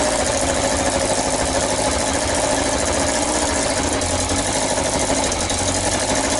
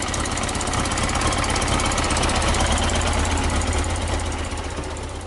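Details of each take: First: Yamaha XJ900S Diversion motorcycle, first start after restoration: sharp, hissy puffing chuffs over an uneven idle, loud and raspy; exhaust blowing at the front header pipe joints, gaskets suspected slipped or needing tightening. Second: Yamaha XJ900S Diversion motorcycle: even, steady idle at about three pulses per second, no knocks or rattles, smooth exhaust note; normal idle.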